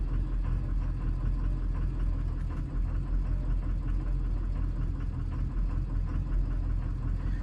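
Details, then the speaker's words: 2003 Ford 6.0 Powerstroke, stock except head studs, just after coming to a stop: low, lumpy idle around 600 rpm with an uneven, stumbling beat, barely running. Injectors 4, 5 and 6 read below threshold in power balance and ICP is jittery; the rough idle's cause is undetermined. "now you can hear it she's running like poo poo very abnormal it's like just doing all sorts of weird stuff"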